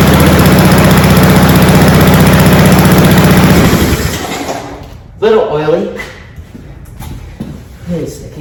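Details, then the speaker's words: Cub Cadet SC-700H mower, Honda GCV 190 engine, cold start with auto choke after sitting unused: runs with a fast steady chug about four seconds then dies off into handling clatter, with some smoke; owner suspects a lot of oil in the cylinder. "all right that was a bit of smoke okay make sure should run louder now that's a lot of I think it's there's a lot of oil in the cylinder"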